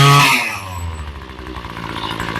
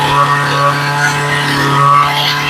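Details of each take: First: Ryobi ES30 two-stroke string trimmer after carb rebuild and new fuel lines, low screw backed out a quarter turn: quick blip settling into a steady, even buzzing idle; idle clean, slight stumble noted on acceleration. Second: Ryobi ES30 two-stroke string trimmer after carb rebuild and new fuel lines: buzzes steadily, then pitch sags and it stumbles to a stop; runs only on choke, low-speed screw backed out a quarter turn to fix.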